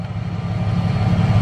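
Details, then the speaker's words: Truck engine just after its rotted fuel pump was replaced: deep, smooth rumble with even pulses and no misses or knocks; idling normally with no fuel leaks seen so far. "okay there we go there we have it she's running I don't see any fuel leaks yet"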